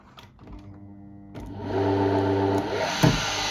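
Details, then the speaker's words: Single-phase motor with a starting winding on 220V, with the starting-winding wire touched briefly and then released: a click, then a hum that climbs quickly and settles to a steady run. A normal start. "That's it And we release The engine picks up speed That's it, it works"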